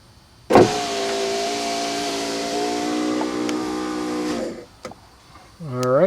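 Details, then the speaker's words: 1991 Mercedes-Benz 420 SEL right rear power window, motor bench-powered from a battery after repair, rolling the window up: a steady, even hum with no grinding, clicking or strain. Normal, quiet power window operation. "let's sound it good nice and quiet"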